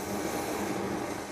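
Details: MSR XGK EX military multi-fuel stove burning white gas with XJ jet, after priming and generator tube heated to blue flame: steady, even rushing roar, no sputter or surging; burner running cleanly on stable flame.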